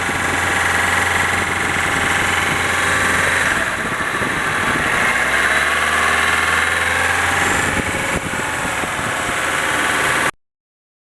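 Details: Nissan 200SX at idle: rapid, fairly even light tapping about 220 a minute over steady idle; top-end knock, owner suspects VVT, cams or spray bar, cause unconfirmed.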